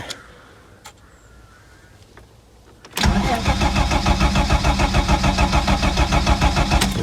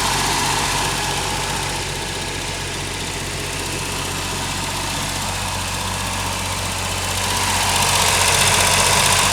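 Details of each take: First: Ford Sierra Mk1 Estate 4x4 Ghia 2.8i: steady starter churn about three turns a second that never catches; cranks, won't start though nothing touched; owner suspects the throttle plate, sprays brake clean, spark confirmed present. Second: Ford Sierra Mk1 Estate 4x4 Ghia 2.8i after exhaust patching and starter fitting, run briefly without coolant in the cold: steady, even idle with a smooth low thrum, no puffing or ticking from the manifold; healthy, no exhaust blow.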